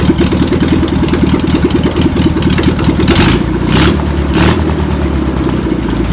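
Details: Old air-cooled flat-four in a VW pressed-bumper-panel bus, sitting over 50 years, fires on its own after penetrating spray and fuel are added; lumpy and uneven with throttle blips but keeps running. Owner suspects the fuel pump is bad. Deemed a runner.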